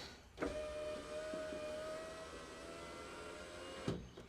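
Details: 1991 Alfa Romeo Spider passenger-side window after fitting a new Centerline motor and refitting the glass, door panel still off: a steady, even motor hum as the glass travels, clean start and stop clunks, no grinding, normal operation.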